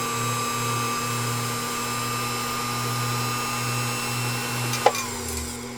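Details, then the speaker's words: Fully restored Pfaff 229 sewing machine running its original 1.3 amp motor with the clutch disengaged: a smooth, constant-pitch hum and whir with no rattle, grind or surging. The motor runs normally. "you know an original fall for faff motor 1.3 amps it's like any other questions it's just crazy what this machine can do"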